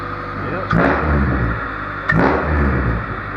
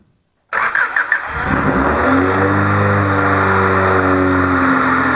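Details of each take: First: Honda Civic D16Z6 after fixing a high, surging idle (not the IACV), coolant topped off and restarted: a petrol engine idling with a steady, level hum and two brief knocks nearby. Normal idle after the repair. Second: Honda Civic D16Z6 with high, surging idle (not the IACV): brief cranking, then the engine catches and settles into a fast, slightly wavering idle from extra air; throttle screw adjustment made no difference.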